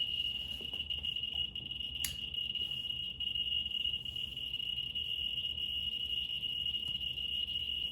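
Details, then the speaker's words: Geiger counter with probe held close to autunite uranium ore, switched to the x100 scale as it maxes out: steady high-pitched alarm tone with faint rapid clicks beneath; the sample is highly active. "Hang on, let me go to the next scale, which is times 100, because it's gonna max out. Ooh, it's active."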